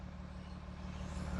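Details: Audi SQ5 diesel after replacing a badly blocked fuel filter and priming the pump: steady, even diesel rumble settling into a smooth idle after starting, no misses or knocks; engine running cleanly.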